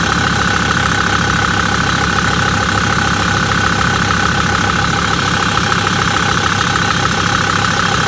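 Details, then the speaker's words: Million-mile Mercedes Sprinter diesel with P299 turbo underboost code, original turbo actuator, idling as normal everyday: steady even clatter with constant beat, no misses or surging; working fine. "let's go ahead and start it up with its normal type of everyday so it's working fine as you can see"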